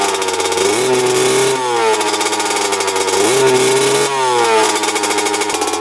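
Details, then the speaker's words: 2000 Honda CR125 two-stroke, just started after cleaning, original carb, full-throttle blips: revs climb then sag, not clearing out, puffing a lot of white smoke; bogging when revved. "wasn't clearing out super boggy um that was Full Throttle I was doing just puffing out a ton of white smoke"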